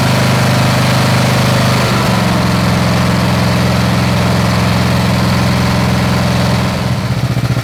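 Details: Snapper SR-Series mower with 10HP Briggs & Stratton single-cylinder engine, stored 10 years, on a tuned Amazon aftermarket carburetor with fresh treated fuel: even thump at steady speed, no hunting or misses; running good, air cleaner makes a difference.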